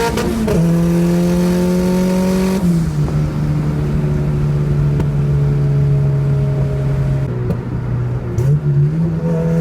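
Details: Nissan Sentra with SR20VET swap, new traction bars, pulling through the gears under load: steady climbing turbo-four tone, no surging or hunting; boost holds a steady 9 psi instead of the earlier fluctuation between 6 and 9.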